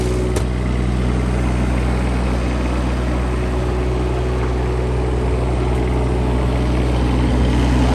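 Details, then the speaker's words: 2016 Bobcat E20 mini excavator, Kubota diesel at idle, checking for blow-by: smooth steady idle, even low hum, no knocks, ticks or rattles; normal idle, no issues. "Cylinder Kubota diesel that runs the unit. As you can hear, it's very quiet. No knocks or ticks."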